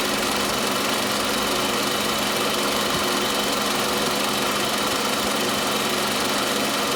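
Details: Toyota Camry 40 with the 2.4 engine at idle: constant ringing "chakh-chakh" knock near the alternator that is always present; source not identified.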